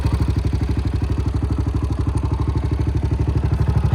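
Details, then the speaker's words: 2008 Honda TRX700XX, fuel injected, idling in neutral after a new flywheel was installed. Even, regular thumping of about three pulses a second holds a steady rhythm; the engine fired right up and sounds healthy at idle. "Battery is a tight fit in there so I installed that flywheel stayed her put it back together and she fired right up sounds pretty good go ahead and listen to this baby purr"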